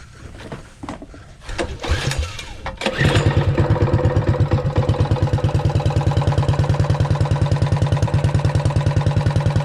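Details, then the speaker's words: Realtree RT200 196cc minibike after GoPowersports stage 1 kit (pod filter, adapter, jet, cover) and homemade exhaust, started with fuel on and choke on; cranking chuffs then loud steady single-cylinder thump, definitely louder; normal running. "Definitely louder."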